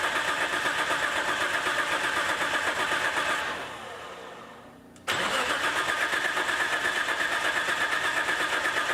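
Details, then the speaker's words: Nissan S14 on a new AEM Infinity ECU with Auto Dream CAS, timing synced at 20 degrees: starter cranks steadily and fast, pauses, cranks again without catching; fuel pumps stop and ECU signal is lost (owner suspects intermittent ECU connectivity). "don't hear fuel pumps anymore we lost signal again what is going on"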